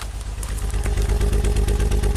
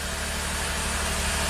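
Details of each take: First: 2008 Saab V6 Turbo idling on five cylinders, code P0203 injector 3 circuit fault, injector already replaced: uneven lumpy idle with deep pulsing beat about three times a second; misfire from failed injector driver in engine computer. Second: 2008 Saab V6 Turbo after replacing the engine computer and throttle body relearn: even steady idle, smooth low hum, no miss or stumble; all cylinders firing.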